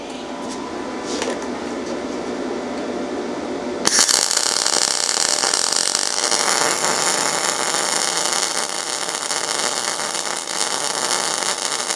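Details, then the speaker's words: Yeswelder MIG-205DS MIG welding steel with no shielding gas: harsh, hissing, uneven ragged sputter instead of bacon-fry crackle; weld looks like styrofoam with porosity, a really weak weld. "see how the weld kind of looks a little bit like styrofoam? It didn't sound right."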